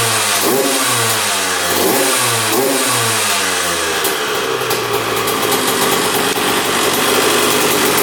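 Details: 2001 Honda CR125 two-stroke dirt bike, started after fix-up, choked: crisp blips rising and falling sharply, settling into fast even buzz; revs freely, running pretty darn good, normal.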